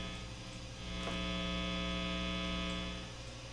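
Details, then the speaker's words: Epiphone Les Paul Special with stock Epiphone P90 single-coil pickups, neck position, volume full, Fender Hot Rod III Deluxe clean channel, not strummed: steady low 60 Hz mains hum varying with guitar orientation. "that's that 60 cycle hum depending on how the guitar is turned because it's picking up different things perhaps electrical wiring or lights and Etc"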